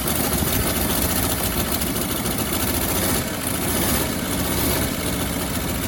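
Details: 1957 Bel Air that sat 30 years, running with frozen water pump's belt removed, steady idle with raspy puffing edge over low rumble; exhaust leak at manifold, owner thinks the exhaust donut is trashed or leaking.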